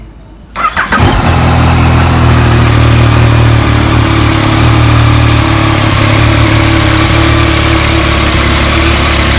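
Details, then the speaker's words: Yamaha MT-09 started right after an engine oil change to warm it up: brief crank, then engine catches and settles into a steady, even idle with no knocks or ticks; sounds healthy. "Alright, okey, dah tukar minyak hitam, siap dah. Kita start enjin, panaskan enjin."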